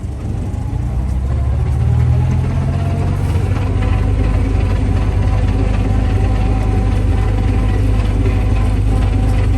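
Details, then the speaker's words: Bugeye Sprite gearbox tested in first gear, run from a temporary start board with a throwout bearing already known to be needed: deep drone with an irregular clatter on top of the normal non-synchro first-gear whine, indicating an unhealthy gearbox. "you should be able to hear there's a bit of a clattery noise so there's a wine all these are non-s Synchro first gear but there's a wine from that uh nons Synchro design and the way these gearboxes are built they all whine but this one has an extra"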